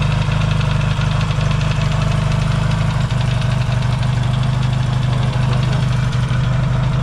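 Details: Yamaha XS650 twin after fixing its burning-oil problem, warming up in an unheated shop, points not yet properly adjusted: loud, even idle about three beats a second, no knocks or misses; healthy warm-up.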